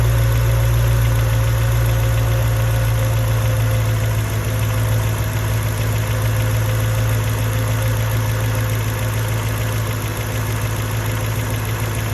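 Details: Mercedes E55 with stage 1 remap and full engine rebuild, at cold start as revs drop: a low, heavy, lumpy idle like a misfire. No codes are stored, and plugs, coil packs and leads were changed within the last 4k miles; cause unknown.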